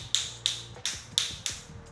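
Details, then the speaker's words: Floor tiles in a newly handed-over house tapped with a rattle hammer during a defect check: five sharp taps at about three a second give a thin, ringing, hollow note. The tile is not properly bonded underneath and gets marked for a warranty claim. "Nah ini suaranya beda. Agak sedikit kopong. Cek satu persatu teman-teman kayak gini. Nah ini kopong ya."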